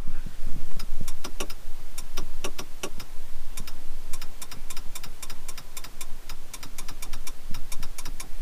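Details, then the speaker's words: Jeep Grand Cherokee 5.9 V8, ignition on, sunroof not working: sharp dry switch clicks with no motor whir or roof movement; clicks when closing but not opening, owner unsure, suspects a bad contact in the button. "donc quand vous pouvez voir quand j'appuie sur le bouton comme si je voulais avancer il ya bien un petit clic par contre quand je vais essayer de l'ouvrir"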